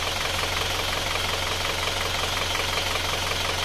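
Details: Isuzu Panther diesel at about 70-72°C after an hour's warm-up, following repair of the sunken cylinder 4 liner (flipped) and new piston rings for dipstick blow-by. Steady, even idle clatter with no misses or extra knocks; healthy.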